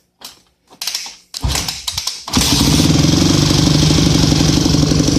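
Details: Yamaha YZ250F bought two days earlier, carburetor just cleaned, on a stand and already warm from a run minutes before: a few kicks, then it fires at once and settles into a steady, even idle without stumbling or smoking; starts and runs healthy.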